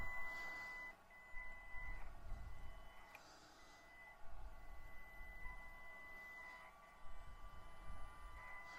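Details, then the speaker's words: Stock Panda Tetra X2 RC crawler with stock brushed ESC at low throttle: thin high steady whine around two kilohertz, like a fax machine, with the motor struggling and surging in spurts. "it's not horrible for one i hate that sound like i said before the old like fax machine sound there"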